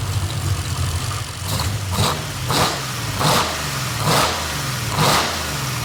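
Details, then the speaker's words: Hartley-built 500 hp Nissan VK56 V8 with eight individual throttle bodies in a 1971 Nissan Skyline 2000GTX, first start, tuned, warm at 82-85 °C, one leaky header from a cross-threaded bolt: repeated throttle blips rise and fall cleanly with some crackle, no knocks or misses. Normal running. "Sounds good, except for that leaky header that you cross-threaded the bolt. Don't tell anybody. Sounds so good."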